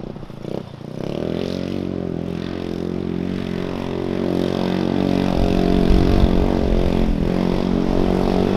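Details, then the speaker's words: Zircon 150cc single-cylinder go-kart after performance parts were installed, with valves that rattled badly before: it settles into an even idle, then revs up smoothly with no valve rattle or ticking; it sounds healthy. "I do notice I don't hear any valve rattle which is a good thing because the valves was pretty bad before they rattled like crazy"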